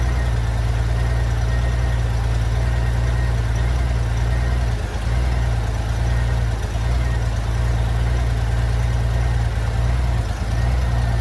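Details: 1994 Honda GL1500 Goldwing Aspencade, first run in two and a half years after aftermarket fuel pump replacement, choke off: smooth, steady low idle with even beat, no hunting or missing; normal idle.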